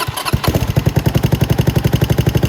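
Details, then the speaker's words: Venom X22GT 250cc single-cylinder motorcycle with Nibbi carb and upgraded muffler, idling with valve adjusters loosened: sharp click on each beat, about ten a second, from the exhaust valve hitting due to excessive clearance, before readjustment. "can hear that little click of the valve right now. And that's because my exhaust valve is actually hitting."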